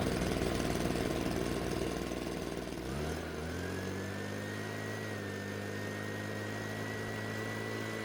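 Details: Husqvarna 130BT backpack blower after carburetor replacement and a new spark plug; it would not start before the plug change. A rough start settles within three seconds into a steady, even high-pitched drone with a clean whine: normal running.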